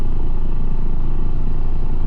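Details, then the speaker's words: Ford Escape blower motor under dash, power and ground confirmed, connector wiggled: heavy low rumble with rough uneven throb, runs only slow; burnt-out blower motor, needs a new motor and speed controller. "I have my finger on the connector. Hear that? That motor's burnt up."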